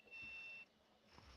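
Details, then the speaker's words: Asus P7P55D motherboard with first-gen Core i5 750 during memory testing: a steady high electronic beep for about half a second, then stops; error beep, cause unconfirmed, then crashed pre-BIOS. "Can you hear that? Yeah, it's beeping. It's not happy."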